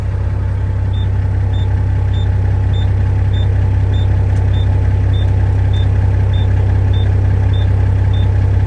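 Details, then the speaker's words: International 9370 truck diesel just started, idling to warm up, air up the trailer and charge the batteries; sharp high warning beep repeating about every 0.6 seconds over loud steady idle, cause unknown. "Listen to that annoying beeper."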